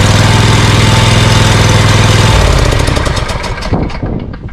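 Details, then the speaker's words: Scag Cheetah with Briggs & Stratton Intek V-twin after carburetor work, choke set, slight throttle, battery charged: even firm thumping about three and a half beats a second, then winding down; previous one-cylinder misfire gone, normal running. "Well, I think I'm going to go out for a test run and see how this does, because that doesn't sound too bad."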